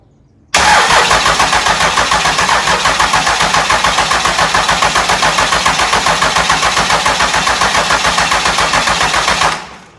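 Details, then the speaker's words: Engine with flywheel cover left off so mouse-nest debris can fall out: the starter churns evenly, about four turns a second, for about nine seconds and never catches; cranking no-start from air in long fuel lines, ether planned. "You got a lot of fuel line to pull air out of. If it doesn't go, we'll hit it with some ether eventually."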